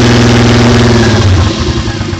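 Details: Mk3 Toyota Supra at almost 100k: short throttle blip and idle with deep regular thumping tracking engine speed; owner says rod knock, engine knock suspected.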